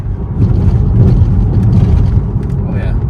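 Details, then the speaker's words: Saab on freshly replaced struts, driven over bumpy roads: steady low road rumble with no clunks or knocks from the corners; the earlier suspension clunking is gone after the strut replacement. "You can hear there's no clunking anymore from the suspension, so that's sweet."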